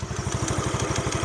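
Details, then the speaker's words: Used 2007 Yamaha Mio scooter: fast, uneven idle thump with a raspy clatter; CVT creaks and squeals and the engine sounds rough, possible causes roller, drive belt, clutch shoes and others, not pinned down. "ini tadi terdapat suara berdenyit dan kasar. Nah, di situ kemungkinan kerusakannya itu banyak banget, mulai dari roller, fan bell, kampas ganda, dan lain-lain."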